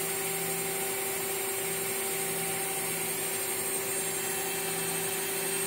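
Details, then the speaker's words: Water-cooled CNC spindle running at constant speed, about 69 dB and quiet enough to talk over, compared against a router: a steady, clean high-pitched whine with no rattle, grinding or wavering: normal running. "Uh you can very easily talk over this. I'm quite sure the audio you'll be a you can hear my voice and I'm not speaking loudly."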